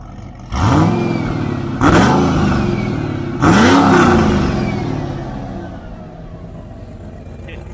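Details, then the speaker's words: C6 Corvette Z06 with A&A V3 supercharger, American Racing headers and Corsa catback, revved with a pipe off: three sharp throttle blips, each with a rising jet-like whine falling away as revs drop; supercharger whine with intake open. "like nothing like a jet engine with that pipe off"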